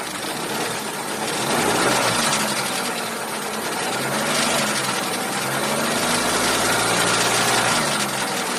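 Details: Chevrolet Cruze 1.8 idling with fast light ticking and faint squeak over it; engine ticking and squeaking, cause not pinned down.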